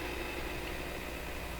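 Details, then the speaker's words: Montgomery Ward Airline 62-425 radio, local oscillator disabled by a missing transformer: steady hiss with low hum and faint whistles, no station coming through; sound of the set with no working local oscillator. "what a radio sounds like with no local oscillator okay funny noises there"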